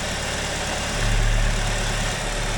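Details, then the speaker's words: GM 2.4 L Ecotec after clearing the clogged PCV passage and reconnecting fuel lines: brief rise on startup, then smooth, even, steady low idle with no huffing; sounds better already, and the filler now pulls vacuum instead of pressure. "That sounds better already."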